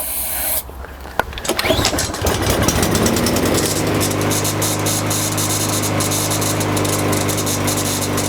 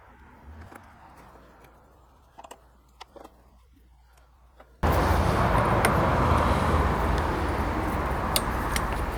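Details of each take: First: Single-cylinder lawnmower that only runs on quick-start spray in the carburetor: fires after spray, runs rough and uneven, then dies; carburetor/fuel delivery issue. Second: Lawnmower after carburetor cleaning and recoil starter pawls lubricated: engine catches and settles into steady even drone without dying or odd noises; running normally after repair.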